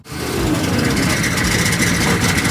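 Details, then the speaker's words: Cheap ex-military auction Humvee diesel: low, uneven, lumpy throb; owner suspects the flex plate isn't bolted fully or something is rubbing inside. "It really sounds bad. Sure does."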